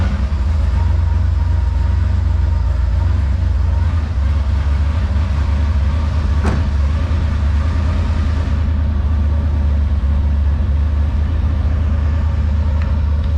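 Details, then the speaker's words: Engine at cold idle just after new exhaust and catch-can plumbing: deep, steady low burble, even and smooth with no misfire or knock; exhaust tamed down a lot; normal cold idle. "So yeah, that's a full-on cold start. So it tamed it down a lot."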